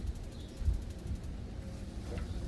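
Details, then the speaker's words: Pamapic outdoor patio heater held on pilot while the igniter is pressed: quick light ticking for about a second then faint pops as the spark igniter lights the pilot; normal. "And then you have to press the igniter. All right. So all you gotta do is just hold it down, and you'll hear it popping."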